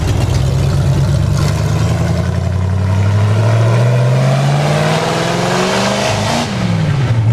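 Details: Ford F100 truck with V8 and swapped Tremec 5-speed, first drive after final assembly: very loud raw V8 roar sweeping up and down through the revs; open exhaust collectors, no mufflers.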